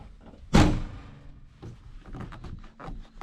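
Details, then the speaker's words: 2006 Hyundai Getz TB track car after fixing the rear hatch rattle by setting the rubber bump stops further out: one firm dull thunk as the hatch shuts and no rattle after it; the tailgate closes solidly. "oh stop it no more banging noises in the night i fixed it"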